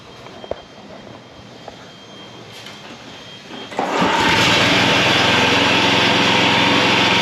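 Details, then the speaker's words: John Deere 14SB walk-behind mower, garage-sale find revived, blade engagement test: the engine runs up into a steady harsh high whir with a dry rasp whenever the blade isn't turning, a bad blade brake clutch bearing (6205). "Okay. So, blade works. Um, but there is an awful sound when the blade isn't turning. So, there's got to be a bearing that's bad."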